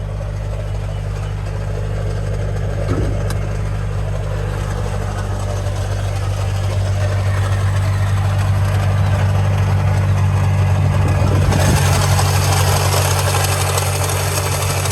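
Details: Nissan 370Z idling after the AC went out: steady low drone with a fast, light rattle about four times a second. One of the smaller belts seems to turn slowly compared to the main belt; cause unconfirmed.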